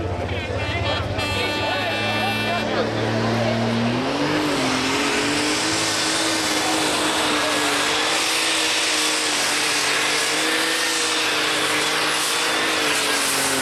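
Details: Red Alert pulling tractor, Clarke pulling team, European tractor pulling championship Ekeröd 2010 qualifying run: screaming engine at full load sags and wavers in pitch near the end of the pull as boost drops; one of the turbos failed.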